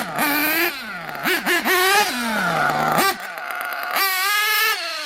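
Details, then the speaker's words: RC nitro engine after lowering idle, leaning the bottom-end needle and richening the top: small high-pitched engine snaps through quick throttle blips, climbing cleanly off idle without bogging, a little crisper on the bottom. "A little crisper on the bottom."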